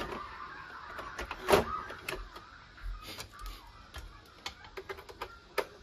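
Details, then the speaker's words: Epson L1250 printer that blinked all lights with error 034004 (paper jam) and no head movement, after a foreign object was removed from the upper roller: light clicks and motor whirs as the head homes in a clean startup. "Oke teman-teman untuk e printer sudah nyala cuma kalau seperti yang tadi ketika dinyalakan langsung blinking ya teman-teman untuk sekarang headnya sudah bisa bergerak"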